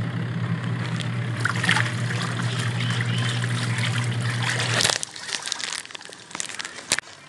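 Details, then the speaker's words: Twin-tub washing machine that had been very noisy and barely spinning, after replacing the gear case: a steady low motor hum under swishing water with no knocking or grinding, then winding down. It now runs smoothly. "Ayan guys at okay na yung ating washing machine maganda na ulit um ikot"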